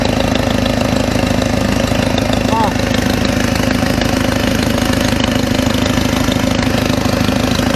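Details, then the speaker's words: Mercedes W202 after a stainless steel header install: steady idle with a quick, even puffing tick about twice a second over the engine note; suspected exhaust leak, possibly a cracked gasket, with the pipe still needing shortening. "Kind of still hear it. Sounds almost like I have an exhaust leak, like there's almost like the gasket is fucking cracked."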